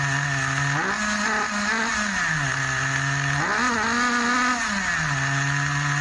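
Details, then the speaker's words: Schumacher XTR21 RC car's Pro21R nitro engine being tuned; revs rise and fall between two speeds with a muffled, burbly top end: still running rich, high-speed needle needs leaning. "I still think it's a lot definitely needs um weaker so we'll try [Applause] again"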